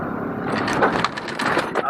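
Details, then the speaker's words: Truck on 37-inch tires with stock Raptor fenders after trimming, driving through a dip: irregular scraping and crunching bursts as the suspension compresses and the tire tucks fully; tire rubbing on the inner fender. "yeah we were definitely seeing quite a bit of rubbing here you can see the tire went full tucked just like the four and that caused some rubbing on the inside"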